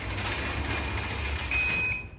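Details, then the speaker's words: Automatic garage door after resetting the down limit: motor hums steadily closing, no bang or thump at the bottom, door resting on seal; normal garage door closing, no slam. "no bang it's not thumping on the ground"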